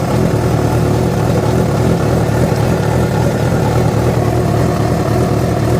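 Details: Yamaha FZ6 four-cylinder revving, with abnormal engine noise that began after riding about 70 km on two cylinders because of a failed ignition coil connector: uneven low rattle over the exhaust note; source unclear.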